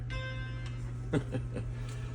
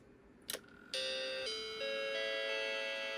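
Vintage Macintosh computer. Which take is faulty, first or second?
second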